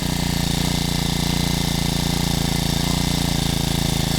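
Small single-cylinder engine ticking over at a steady, even beat with no misses or knocks; a brand-new engine running normally.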